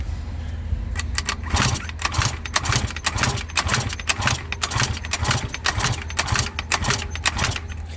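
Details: Eaton Beamer Matrix 2 scooter two-stroke with 60 psi compression, spun by drill on the crank: uneven coughing bursts about twice a second without catching, choke off; hard starting, low compression suspected.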